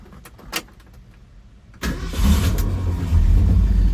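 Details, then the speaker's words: A car after work to cure valvetrain noise: a quick crank catches and settles into a smooth, steady low idle. It fires up easily, a healthy start. "But I do love the way that this car sounds, and it just fires up so nice and easy."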